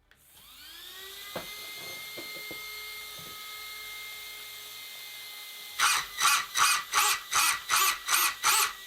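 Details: RC buggy: motor whine climbs and holds, then eight sharp throttle bursts about three a second, with speed-controller fan hiss behind; the correctly set slipper clutch takes up cleanly.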